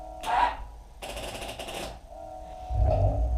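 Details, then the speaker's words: Hard-start problem: the battery reads 12.6 V key off and 11.5 V key on. In neutral, a fast dry solenoid chatter lasts about a second with no crank, and jumper cables didn't help; the owner guesses the battery is dead. "like it doesn't have enough juice so i'm guessing the battery's dead"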